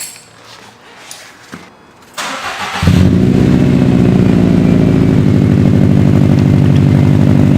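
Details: 2012 Subaru STI first startup after installing an Invidia N1 single-tip race catback: brief crank, catches and settles into a strong, deep, even exhaust drone with steady pulse; no leak ticks, healthy cold start.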